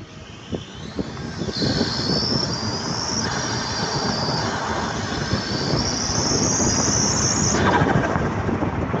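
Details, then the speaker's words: Audi A4 B8 2.0T running after high-pressure fuel pump work. Thin high whistle rising with each rev and dropping as revs settle; owner suspects turbo and plans to remove it to check for cracks, source unconfirmed. "i'm having a very weird whistle noise you know what i'm going to drop it here for you guys you guys can also hear how bad it sounds like"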